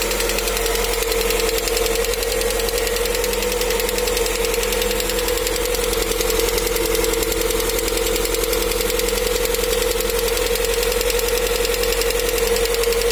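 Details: Knocking inside the engine of a new Lada Vesta at 575 km, steady idle: fairly regular tapping about 160 a minute; dealer says normal for running-in, should pass by 2000 km; cause unconfirmed.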